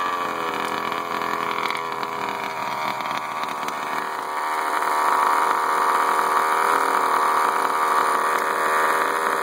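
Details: Baja 5T RC two-stroke engine, after running wide open briefly; steady-speed buzzy running with a metallic rattle over the exhaust note: engine rattle, cause not obvious.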